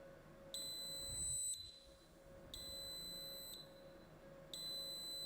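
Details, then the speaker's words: Thermal Grizzly WireView Pro II on a 600 W GPU cable, Y-splitter unplugged, card loaded with Furmark: high beep repeating every two seconds over a hum, alarming that pins 1 and 2 exceed the 9.5 A spec, a current imbalance. "we can see that pin 1 and pin 2 are out of the spec, and you can also hear the alarm."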